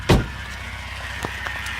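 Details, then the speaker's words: 2003 Volvo XC90 T6 automatic: after a thump, a thin steady high whine over the running noise, sounding like the transmission sucking air; owner guesses maybe the pan filter, unconfirmed. "here that it's like almost like it's sucking air so who knows maybe it's just a filter in the pan"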